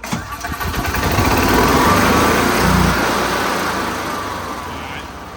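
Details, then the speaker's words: EZGO fuel-injected gas golf cart that spits, sputters and won't run when floored: cranks, catches, revs swell and sag in a bog that improves when the air intake is covered by hand, indicating not enough fuel for the air. "You see how it makes a difference. So what that there tells me is that you're not getting enough gas for the air mixture."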